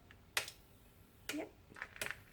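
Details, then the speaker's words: Car 4-pin relay bench test with power on the trigger circuit: a few crisp clicks as the relay pulls in and releases; coil side working normally. "we can hear the relay clicking so that's great"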